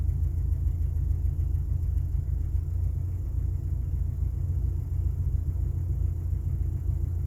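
Low, uneven rumble at idle with an unsteady, lumpy beat instead of a smooth hum; the engine is idling rough just after start-up.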